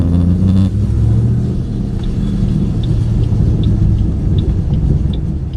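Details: 2008 Ford Mustang GT driving after MSD Blaster coil-on-plug set replaced coils (dealer found 5 bad): deep steady exhaust rumble under road noise while cruising, smoother and lighter, no stumble, pop or skipped beats; misfire gone.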